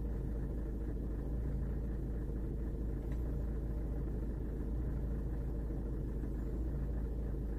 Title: 골프 7세대 인젝터 노킹 차량 떨림, RPM 떨림/ 수리전- 모터툴 수입차 커먼레일장비 MT-6000